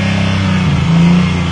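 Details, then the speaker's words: Car just started after new plugs and wires, smoking; engine holds a high steady rev and won't return to idle because the throttle cable is sticking badly and holding it open. "scott do you have any wd-40 or something um your your throttle cable is sticking really bad"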